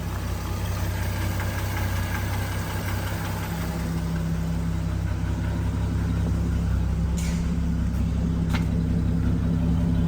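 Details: Dodge D5N truck with 245 Hemi six, first start after sitting 5 years, new battery terminal and fuel line fitted: low steady idle with even beat, no knocks or misses; normal idle.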